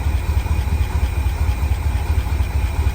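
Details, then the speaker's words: IH Loadstar crew cab V8 that sat parked 30 years, idling roughly after a coolant top-off. The engine shakes and has an occasional light tick with a stumble. The source is unknown: it may be under the valve cover, slight backfiring, or manifold/valve-cover blow-by. "kind of quit something sounds interesting occasionally see a little doinking noise yeah you see that huh that is"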